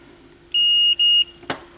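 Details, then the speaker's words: Sony PS-X70 turntable's RCA output cable under a continuity test. The tester beep drops out and returns as the lead is flexed, showing an intermittent open in the conductor; the outer sleeve is bad and the cables will be replaced. "yep yep it's intermittent so you can see over here I've got a touch in the the middle post but I'm not getting anything"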